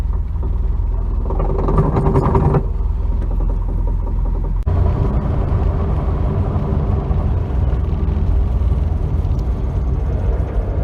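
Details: 1992 Nissan 240SX hatchback idling with the clutch pedal pressed: deep uneven rumble with rough rattling and scraping that shifts after a midway clunk; owner attributes it to a bad clutch, replacement parts on hand.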